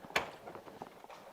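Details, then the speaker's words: 1992 Pontiac Trans Am GTA convertible, 350 TPI: worn driver's-side door hinge lets the door bounce and drop, a sharp clunk, pause, then heavy thud as it swings and settles; owner thinks it needs welding reinforcement and new pins. "don't know if you can hear it bounce or drop. That noise. Yep. We already looked at the hinges in here. I think it just needs some welding reinforcements and some new pins in there."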